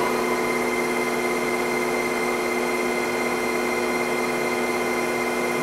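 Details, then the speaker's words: Lion 23MT lathe headstock after its break-in oil change at 35 days, oil flow confirmed, shifted from 500 toward 1000 rpm: steady even gear hum with no knocks or grinding; brake also works well. "sounds good and the braking is pretty good i don't need to adjust the brake"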